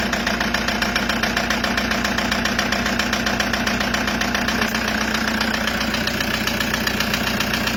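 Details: Toyota HiAce 2KD diesel at idle: sharp, regular knocking about three to four per second from a scored piston and liner in cylinder number 3; injectors were checked first, and the fix was an engine overhaul with 0.50 oversize cylinder.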